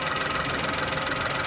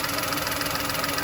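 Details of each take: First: VW Polo (code P0068) after repairing the air leak: steady petrol idle with even pulse, no hiss; normal idle, though fuel trims still high. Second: VW Polo idling with check engine light and code P0068: steady airy hiss over an even petrol idle, with a tone change when covered by hand; air drawn in through the crankcase ventilation pipe into the intake manifold.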